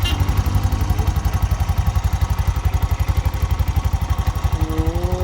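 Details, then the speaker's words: Bajaj BS6 single-plug motorcycle after repairing a seized camshaft rocker: crisp even single-cylinder pulses, steady rate, no clatter or ticking; clutch smooth without jerking after the run. "ಕೂಲಿಂಗಲ್ಲೂ ಬಿಟ್ಟಿದೆ, ಓಡಿಸಿ ಎಲ್ಲ correct ಇದೆ. Clutch ಏನು jerking ಇಲ್ಲಲ್ಲ ಇವಾಗ? Smooth ಆಗಿದೆ ಅಲ್ಲ?"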